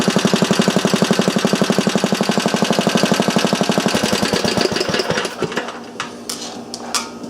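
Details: Small engine clamped on bench with temporary gas tank, testing homemade cast muffler with baffle: sharp evenly spaced exhaust pops about four per second for five seconds, then coasts down and stops; normal running.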